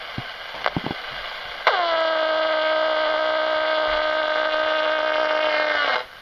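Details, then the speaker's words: Radio clock near a wall outlet: plugging in a netbook charger gives an instant steady, harsh buzzing tone that stops dead when unplugged; electronic interference from the adapter. "so that's the noise the netbook plug makes"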